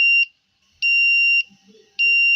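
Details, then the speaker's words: 555 timer in astable mode driving a buzzer through a BJT transistor and 100 Ω resistor, with a 10 µF capacitor, 100 kΩ and 1 kΩ resistors, battery powered: shrill, evenly spaced beeps about every 0.6 seconds, timed by capacitor charge and discharge; working as designed. "you hear the buzzing. So it's corresponding to the time it's taking the capacitor to charge and discharge."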